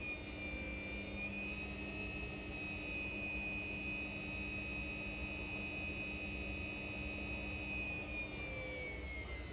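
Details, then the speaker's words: Indesit Innex XWSC61252 washing machine after repair of a no-drain fault, filter already cleaned: steady, even high whir holding one pitch with no scraping or knocking; normal spin, though speed dipped noticeably when the high-speed motor coil engaged. "So, that sounds like it was a uh success. For some reason, when it um activated the highspeed uh coil on the motor, it did seem to dip quite a bit."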